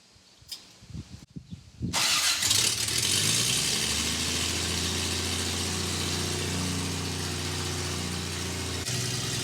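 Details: Small-block Chevy in a Toyota FJ40 on first start after Holley Sniper EFI install: catches after a few cranks, then a steady, even idle with a smooth low hum, no knocks or misses.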